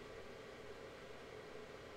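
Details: Xbox 360 slim (4 GB) idling on the dashboard with no game running: a steady airy rush with a faint whistle and no load changes. The fan runs loud and gets progressively louder over time.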